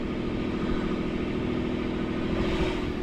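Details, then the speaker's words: Port diesel on a sailboat at anchor after a four-day repair of all four engine mounts, snapped by a submerged log strike; the bent bracket leaves it idling way too high, with a steady, fast, even beat and no drop. Idle needs adjusting. "so now it's just a matter of adjusting the idle, because you can hear it's idling way too high."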